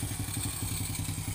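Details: Honda Supra X motorcycle that keeps fouling plugs black and oily idles low and steady with a faint rough edge, slight oil seepage on the left of the engine; ignition judged stable, cylinder head suspected.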